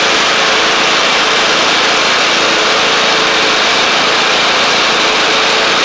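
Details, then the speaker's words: MTD Craftsman LT1500 riding mower with replacement engine, finished after bottom oil seal replacement: steady, even drone at settled idle, no surging; no longer revving too high, running normally. "it doesn't sound like it's revving revving too high anymore either so that's good"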